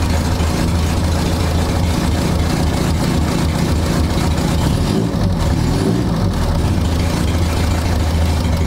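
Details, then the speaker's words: 1960 Mercedes-Benz 190B four-cylinder, parked since 1972, choke off: even, steady low idle with a small throttle rise partway through and no misses or knocks; normal warm idle. "that's unchoked and everything yeah sounds good down there"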